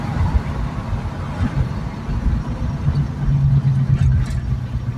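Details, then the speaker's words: 1972 AMC Javelin AMX 401 V8 automatic with Edelbrock 1407 750 CFM carburetor, cruising in third on a test drive: deep even rumble with no knocks, misses or rattles over road noise; runs smooth once warmed up. "Now we're going to pull into this lot here and goose it a little bit just to see what she's capable of, but it runs smooth, but you got to let it warm up."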